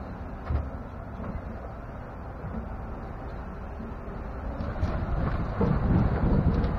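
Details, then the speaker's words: 2016 Chevrolet pickup driven slowly up and down a street with the camera mounted underneath: road rumble with dull thuds from the rear differential, a loud rear-end clunk. Dealer replaced shocks for squeaks; GM engineer called the clunk normal. "so what I want is for Chevy to show me any pickup on their lot that sounds like this and tell me that it's normal"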